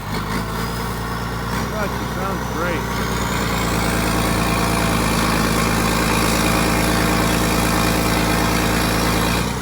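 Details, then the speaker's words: 1980s John Deere 790 excavator, 48,000 lb, all-mechanical diesel, at low idle (not idled up) after starting: steady, even idle with a smooth regular beat, no knocks or misses; sounds like a pretty good machine. "great oh man you can't touch a machine like [Music] this it's not even idled up"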